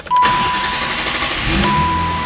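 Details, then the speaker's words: 1990 BMW 325i (E30) first start after timing belt, water pump and seal work and gauge cluster repair; clutch in, neutral, key turned, short crank, then the six catches quickly and settles into a steady idle with no stumbling: normal start. "Oh, so much tension getting this first startup going. All right, here we go. Clutch in, neutral, e-brake up, turn of the key."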